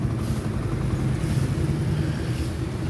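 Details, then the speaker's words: Motorcycle, idle ("minor") after being adjusted lower: steady, even low idle with no ticking or rattling, smooth and quiet. "O, iba. Tahimik o. O. Ito lang naman ay na-adjust."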